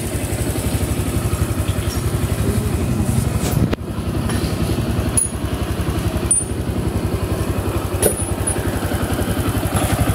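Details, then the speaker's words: Honda Click 150 scooter after repair with new block, valves, connecting rod, rocker arm, valve seals and crankshaft oil seal, still hot and smoking: steady even idle pulse about three to four beats a second, no knocking or clatter; now quiet, normal idle. "Init pa, muusok. Tahimik na yung makina ng Honda Click 150."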